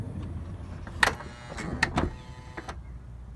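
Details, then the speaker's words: 2006 Honda Odyssey driver-side power sliding door after repair: low motor hum and clean latch clicks as it closes normally, no longer over-pulling, straining and releasing, which had caused continuous door-open beeping. "it is not over pulling the door and then releasing it later it's going right"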